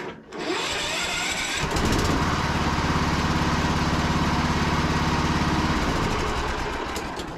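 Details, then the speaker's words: Cub Cadet lawn tractor, second attempt with some corrosion still on the terminals: a few seconds of cranking, then catches promptly and settles into a steady, even run; starting much easier, normal. "Alright, yep, starting up much easier."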